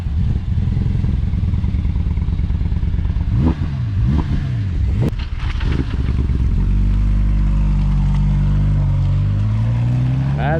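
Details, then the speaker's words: Audi R8 idling after a blip: lumpy, uneven stumbling beat instead of a smooth hum, check engine concern; occupants suspect a misfire, not confirmed. "doesn't sound good that doesn't sound good we'll see hopefully it doesn't start doing pulls though he'll get in trouble for that yeah with airplanes sometimes we just gotta turn them off and then back on and then yeah usually that works yeah it usually works yeah I know it sounds weird sounds like a misfire for sure"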